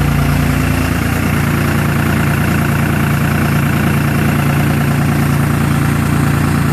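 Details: 2nd-gen 24-valve diesel, noted as running on 3 cylinders at high idle: a steady drone with an uneven, loping pulse of about three beats per second. Rough running, with dead cylinders suspected but not confirmed.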